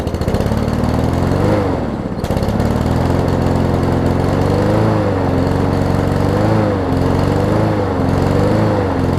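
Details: Troy-Bilt self-propelled mower with swapped-in Honda engine starting: speed hunts up and down in slow waves about every second before catching and steadying; surging at start, engine seemed to run at low rpm, governor linkage later adjusted.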